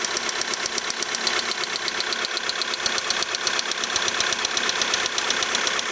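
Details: VW Polo 6R 1.6 TDI idling: sharp, regular metallic tapping about one and a half per second over the diesel idle; knock present, cause unknown.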